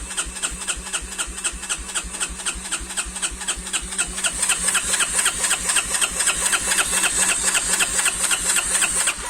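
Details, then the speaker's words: 250 cc single-cylinder quad whose starter wouldn't turn until reversed cables were swapped back: the starter cranks, then the engine catches and settles into an even, steady idle of about four beats per second. It starts and runs normally. "Ah voilà. Vous voyez, là le moteur il tourne."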